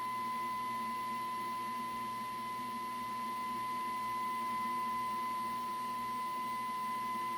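A clean steady whistle at about 1 kHz that swells a little as the IF can is tuned; the alignment tone is being peaked.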